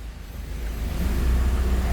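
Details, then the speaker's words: Hyundai i10 after a throttle position sensor fault fix and relearn that dropped idle from 2000 to 900 rpm, A/C switched on: low steady rumble lifts slightly as the compressor engages, then holds even; normal idle with A/C on. "Ayun. Tumaas lang na tos bumaba. Okay na. Naka-aircon."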